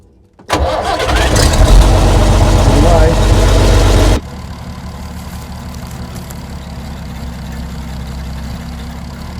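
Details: 60-year-old International Harvester 6x6 army tipper, Perkins 6354 diesel, sat about 10 years, starting to drive out: brief crank, catches and roars, settling after about four seconds into a steady, even idle knock; normal start.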